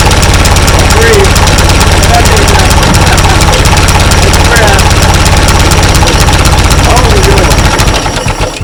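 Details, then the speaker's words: 1939 Ford tractor that sat in a field for over 20 years, fuel reaching the carburetor and the choke line removed: heavy, uneven low chuffing at three or four beats a second as it labours to catch. Hard starting; it cranks best with the choke nearly fully closed. "So seems like it's cranking best when it's almost totally closed."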